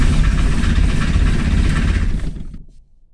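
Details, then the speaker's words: Diesel microcar after a second head gasket replacement, cold start after preheating, with a history of cold-start trouble; engine clatters briefly, then sags and dies within a second; starts but stalls, cause not confirmed. "comme vous avez pu entendre elle démarre mais elle se coupe avant"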